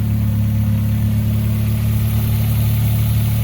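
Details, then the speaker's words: Geo Metro (Suzuki Swift) with a Toyota 4AGE 20-valve ITB black top swap, started after sitting a long time: smooth, steady idle with no misses, ticks or knocks, sounding very clean; the MAP sensor vacuum hose is starting to collapse. "I have to fix that. It sounds very clean, very, very clean."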